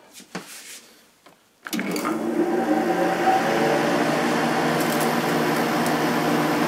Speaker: started instantly. This is an 8500 BTU air conditioner. It's got a Matsushita compressor and a Samsung fan motor.